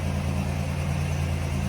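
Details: 1987 Buick Grand National, stock 3.8 L turbo V6 (about 115k on engine, 118K miles on car), automatic overdrive: steady, even low rumble at idle with no misses, knocks or ticks; smooth settled temperament, healthy normal idle.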